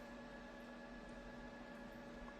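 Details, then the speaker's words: JMAZ Radiant PAR Duo LED light (324 SMD LEDs), all LEDs at full, about a foot from the microphone: cooling fan near maximum RPM, quiet even airy whoosh with faint steady hum, no coil whine or rattle; normal. "Alright, so this fan is about at its maximum for RPMs. Again, not a super loud fan, just definitely a fan sound, but not a annoying coil whine that you get with some budget-friendly light fixtures."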